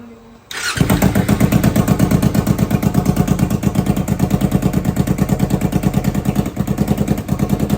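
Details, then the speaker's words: Kawasaki Ninja 300 started after an oil change (2 L added) with the exhaust removed: it catches quickly, then a loud, raw, unmuffled popping idle of sharp rapid pulses from the open headers. "Exhaust ഇല്ല. Start ചെയ്താൽ ഒച്ച എന്താണെന്ന് ഇപ്പോൾ കേൾക്കാം."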